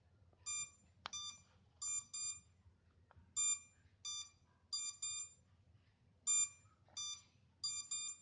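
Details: MJX Bugs 3 drone left minutes without a connected transmitter: short high-pitched beep bursts in ones and twos about every second in a quiet room; lost-signal locator warning.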